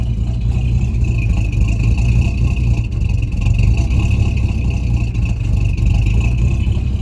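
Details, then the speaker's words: Freshly rebuilt Mercury V8 with barely broken-in piston rings: deep lumpy idle rising and dying down, hunting for idle, like half the engine lagging; owner suspects cam issues and low compression; surging idle. "obviously you can hear it idling good now and then it kind of dies down a little bit here and idles back up it's it's uh it's surging it's looking for an idol"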